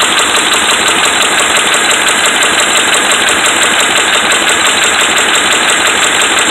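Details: Dodge Ram 5.7 Hemi V8 held at a fast idle, sounding harsh and loud with a steady, heavy knock from bad connecting rod and crankshaft main bearings.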